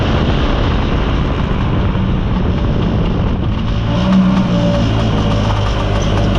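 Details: Mostly original Spanish Lambretta Jet 200 two-stroke scooter on test drive: drones low and flat without climbing in revs, muffled under load, mid-range splutter; main jet too big, running rich.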